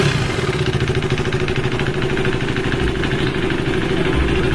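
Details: KTM RC 390 motorcycle: rapid, busy metallic clatter over an uneven idle, sitting on top of the exhaust note. Abnormal engine clatter, cause undetermined.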